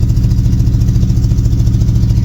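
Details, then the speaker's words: El Camino bought sight unseen: deep, lumpy idle with an uneven pulsing beat that never settles; owner suspects vacuum leaks, expected to ease once warmed up, not confirmed. "we get it running and vacuum leaks is probably the issue but once that uh warms up a little and vacuum shouldn't be too much of a issue"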